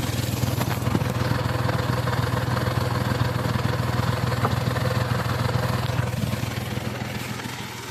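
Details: Hyundai car with 342,000 km: strong, steady low idle with an even beat and no knocks or misses; the high-mileage engine runs smooth and healthy.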